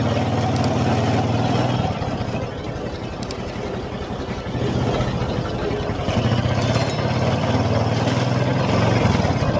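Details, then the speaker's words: Honda Supra X 125 idling: rough metallic crunching rattle over the single-cylinder beat from the clutch case, louder and harsher when ridden; suspected worn bearing or part behind the clutch basket, unconfirmed. "nah seperti itu ya bunyinya ya teman-teman seperti bunyi krucuk di itu kendalanya dibawa jalan itu semakin dasar bunyinya"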